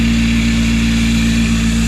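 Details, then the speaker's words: K24-swapped Honda Civic idling before repair: a steady low droning hum and growl from a worn idler pulley bearing, ruined by an overtight belt meant for a K20 (50 instead of 52 inches); fixed with a new belt and pulleys. "You hear it's really worn out, the bearings in it are shot."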